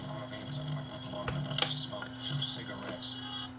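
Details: No-name LCD TV, both identical sets share the fault: sound comes out buzzy with low rasping "farting" bursts and rattle under the audio at power-on; distorted sound from blown speakers.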